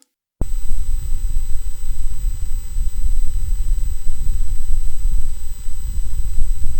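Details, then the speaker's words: Focusrite Scarlett 1st Gen mic preamp, which grows noisier after running a while, cause unknown; after brief silence a loud steady hiss and low rumble with thin high whistle sets in; excessive preamp noise. "okay and there you have it to me that kind of problem just should not happen even with the more Budget Home production interfaces"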